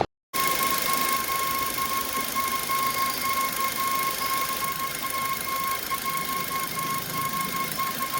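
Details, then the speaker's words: Suzuki Ertiga VXI petrol after tensioner bearing work at the service centre: constant high whine with fainter upper ring over soft hiss near the tensioner, same noise returned, not heard on cold start. "இப்ப பாத்தீங்களா so அதே noise அதே sound அந்த tensioner கிட்ட இருந்தோம் எங்க இருந்தோ வருதுங்க"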